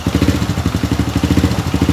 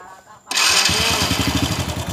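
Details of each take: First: Honda Supra Fit New motorcycle idling after the cam chain and timing chain guide were replaced, before fresh oil was added; an even, low thudding beat with the earlier loud left-side rattle gone. Expected to get smoother once oil is added. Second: Honda Supra Fit New motorcycle after starting at idle: harsh metallic rattle in quick uneven bursts from the engine's left side; suspected loose cam chain, to be replaced.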